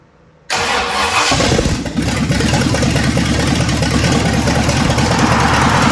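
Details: 1965 Ford Thunderbird with FE 390 V8, successful start after troubleshooting: brief crank, catches and settles into a steady, even idle with a little throttle; normal idle.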